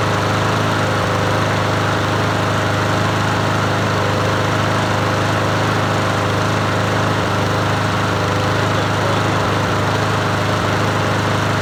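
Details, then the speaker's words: Free Troy-Bilt TB110 push mower, 550EX 140cc single-cylinder, running after carburetor work: fast steady running with heavy uneven throb; owner first suspected blade needing sharpening and balancing, vibration pointing to bent blade adapter. "it's got a shake though but that could be the blade probably needs to be sharpened and and balanced"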